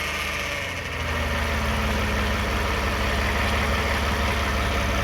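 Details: 2009 Toyota Sienna recorded from under the van: a steady low drone with a raspy whirring that grows louder as throttle is applied. Owner suspects the flexplate or transmission area; the flexplate is thought okay, cause unconfirmed.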